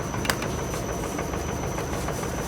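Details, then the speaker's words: Car on a shaker stand with sensors fitted: steady rumble with quick, fairly regular knocks from the right side, traced to a worn right steering tie rod not found on the lift. "нашли, рулевая тяга справа стучит."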